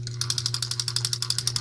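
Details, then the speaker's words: Compac Clipper spincast reel: crisp, even clicking about twelve times a second while cranking, with no grinding. "you definitely don't hear the grinding on this one"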